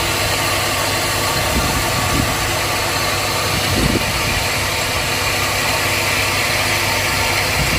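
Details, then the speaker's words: 2002 Chevrolet Silverado Vortec V8 gasoline engine, hot, idling: rough, gritty grinding runs steadily with a couple of harsher surges; the owner suspects a bearing, unconfirmed. "the engine has a grinding noise i don't know why but it happened"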